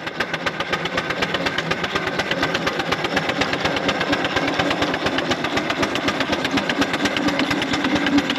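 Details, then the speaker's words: 4-inch Foster steam traction engine "Dolly", winter steam test after boiler retubing, working under load at only 55-60 lb pressure, regulator wide open; crisp, even chuffs about two a second, steady with no knocks; singles quite deep, normal exhaust. "only got 55 60 lb on so it make her work so she should sound quite good singles quite deep yes wide open"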